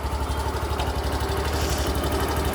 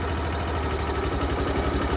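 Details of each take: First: Suzuki Access BS6 scooter with a running-off complaint, after an idle air control valve modification that allows idle adjustment: a steady, even low putter at idle with no hunting, surging or misses. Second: Suzuki Access BS6 scooter, idle air control valve adjuster tightened: small single-cylinder engine chugs slow and uneven near stalling at too-low idle; idle should stay about 1700 ±100 rpm, lower can stall it.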